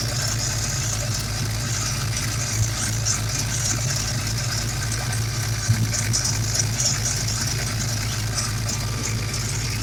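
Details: Mustang small-block Ford 351/302 Windsor with a steady deep idle and an occasional hop and stumble. Unmetered air leaks past the injector O-rings on cylinder 7, past the MAF, causing misfires at wide-open throttle; new O-rings and bushings have not sealed it.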